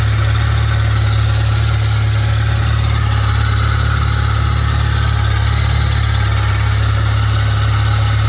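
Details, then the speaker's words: Fiat Punto after swapping 1.2 8V for Fiat FIRE 1.4 8V engine, first start, alternator belt came off: rough heavy idle with regular scraping rub three or four times a second; something seems to be rubbing between engine and gearbox, suspected, unconfirmed. "Muuten toimii hyvin, mutta kuuluu tuommoinen ihme hinkkausta ääni ja se kuuluu n"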